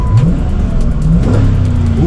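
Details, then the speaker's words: 2006 Chrysler 300C V8, rear-wheel drive, accelerating on the road with lug nuts stripped or missing (2 of 5): deep V8 note climbs smoothly through the revs with no knocks or misses. Engine sounds healthy; normal acceleration. "But the crazy thing is though, that engine sounds pretty freaking good."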